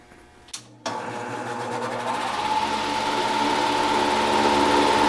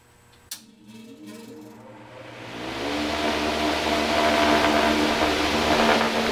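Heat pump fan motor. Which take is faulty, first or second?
first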